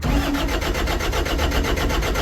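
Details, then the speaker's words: Diesel engine showing 20,000 hours with fresh oil, cranked: the starter turns it over at about eight even pulses a second, laboured and slow; sounds tight and short of cranking power (suspected). It then fired right up. "it's pretty tight sounding we need more cranking power"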